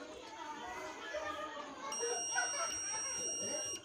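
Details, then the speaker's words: Stranger PBT 701 amplifier with a previously burnt, rewound transformer, multimeter in continuity mode across the bridge rectifier: steady two-second high beep, so the first rectifier diode is shorted; the second rectifier reads normally. "तो यहाँ से सबसे पहला problem जो है मुझे मिल गया है, यही रेक्टिफायर जो है ख़राब है, जो कि शॉर्टिंग दिखा रही है यहाँ पे।"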